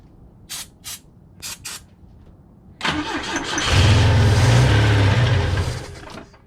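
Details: Volvo B20 engine with Stromberg carburettors, first start after years of sitting, fresh fuel, jump pack, starting fluid: short cranking bursts, then a longer crank that fires briefly and stumbles; crank no start, spark and air fine, owner suspects old fuel in leaking float bowls.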